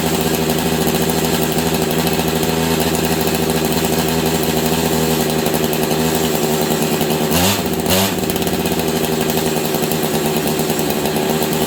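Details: Husqvarna 385 chainsaw that sat for years, idle turned up: engine drones at one flat speed and won't throttle up, sounding like the clutch grabbing; owner also wondered about ignition advance.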